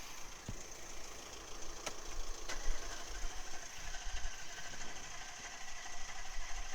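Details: 2008 Audi S5 V8 FSI at idle, pressure sensors in cylinder, intake and one tailpipe: low, uneven, lumpy rumble; rough running, with the in-cylinder waveform showing a second compression tower at the end of the exhaust stroke, indicating a mechanical engine fault.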